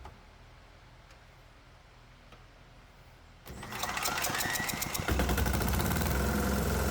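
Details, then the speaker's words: 196 cc 3 hp single-cylinder diesel, unloaded, runs on an 80/20 homemade fuel mix once it reaches the injector pump. It chugs slightly unevenly and laboured, struggling to hold 2000 rpm instead of 2700; rough running on an improper fuel blend. "well it sounds like the mixture has reached the injector pump and quite frankly I don't think this engine likes it but it's still running so that's interesting"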